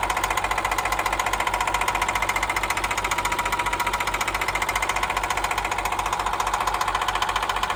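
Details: Cat 316 marine diesel knocking after rebuild and install, bought from a broker: sharp steady knock about two or three a second, in time with the engine; cause unknown.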